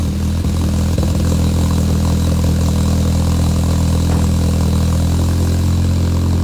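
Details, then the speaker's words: Honda Civic with DNA header and full Yonaka exhaust, new battery, lukewarm start: steady even four-cylinder idle, firm low hum, no misfires, ticks or knocks; slight bumper vibration, strong healthy engine, normal idle. "it has a little bit of a vibration that's just from the uh that's just from the bumper but yeah it's a strong running engine and everything and it runs and drives"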